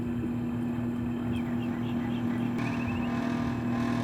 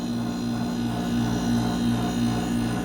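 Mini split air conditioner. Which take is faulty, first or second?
first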